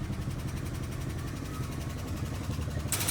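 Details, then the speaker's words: Old rusty Dodge, just started, needing an oil change and low on coolant: fast light ticking at about 220 a minute over a rough low idle; owner suspects a lifter tap. "Fired right up. Now, it's a lift or tap. We'll have to do an oil change, but at least it fired up."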